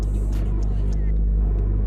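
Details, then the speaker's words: Barn-find Honda Civic DX, sat about 8 years, first drive after starting: heavy low rumble and steady droning growl as clutch is worked; unusually loud clutch noise, cause not determined. "loudest clutch I've ever heard"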